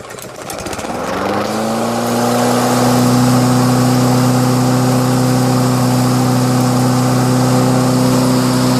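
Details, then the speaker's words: Lawn-Boy Kohler self-propelled backup mower sitting two years, started on roughly 10-year-old ethanol-free gas: catches after a second and settles into a steady, even, smooth hum with no misses or surging; normal running. "Isn't that amazing? Isn't that awesome? Man, doesn't that engine sound smoother than normal? Something about non-ethanol gas, guys."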